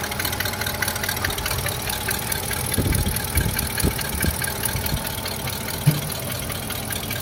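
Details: Rough idle with a few sharp irregular knocks and taps from the left side of the engine; unidentified engine noise.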